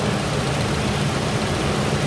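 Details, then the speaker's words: 1999 Ford Ranger idling loud and low with an uneven, lumpy beat and shaking. It runs smoother with one plug wire removed and rough again when it is reconnected; a misfire persists despite a new spark plug. "all right it's running rough right now it's shaking you probably can't see take this off run smoother run drop right now running horribly rough take it off run smooth put it back"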